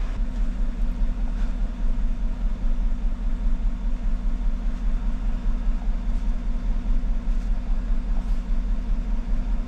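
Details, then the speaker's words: 2014 GMC truck, 5.3L V8, 81,000 miles: idles with a steady lope, a regular stumble about once a second from a dead cylinder #1 with no spark, traced to a faulty ignition coil; no lifter ticking. "random misfire misfiring startup let's go to live data figure out which cylinder this is their misfire right there well she's telling me number one"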